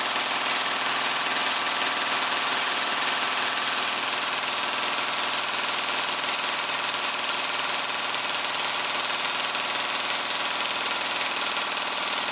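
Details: Airsoft gearbox with a heavy M120 spring, run on the motor before the T238 brushless swap: fast, even ratcheting buzz cycling shot after shot with a steady rhythm. No bogging, drawing about 16 A average and 27 A max.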